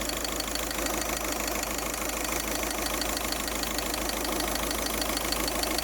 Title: Hissing noise....